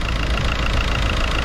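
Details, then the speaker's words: 2007 Seat Leon II 2.0 TDI BMM diesel, 140 hp, 243,000 km, at idle: steady, even idle with the usual injector clatter; no belt squeal or tensioner rattle heard, engine sounds healthy. "nie słychać żadnych napinaczy takich rzeczy i pasków myślę że może powinien ten Hut zachwycić"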